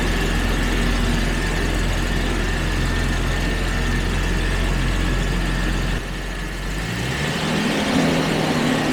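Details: Jaguar XJ12 V12 after misfire troubleshooting and fuel pressure checks: deep, even rumble settling into a steady idle with no stumble; fuel delivery sounds right, normal idle.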